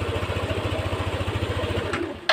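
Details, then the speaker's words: Yamaha NMAX 155 V1 ABS scooter, side stand switch test after repair: even putter at idle, then engine dies abruptly as the side stand is lowered; cut-out switch working, and it won't restart on the stand. "Kita nyo? So, automatic siya,"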